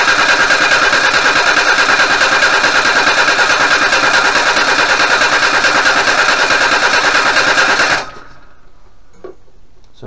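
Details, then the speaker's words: 1988 Suzuki Vitara 1600 carb engine, off road since 2004, fresh fuel in new tank: steady cranking about three turns a second for eight seconds, never catches; fuel pump delivering nothing to carburettor, crank no start. "nothing coming out of there so you can see the fuel pump just behind here there's nothing coming out of here"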